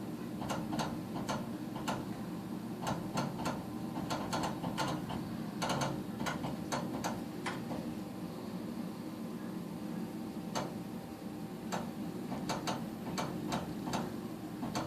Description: Doesnt fire every cycle